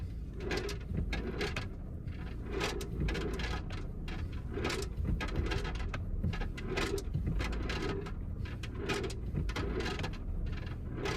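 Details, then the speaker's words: 2022 Kia Sorento cabin, noise from the driver's side rocker panel/floor channel as the car moves back and forth on the gas: irregular hollow thuds and clatters rolling every couple of seconds. Loose objects, suspected acorns or screws, were retrieved with a borescope and magnet. "so here's the noise as you can see going back and forth with the gas and you can hear it like literally rolling back and forth"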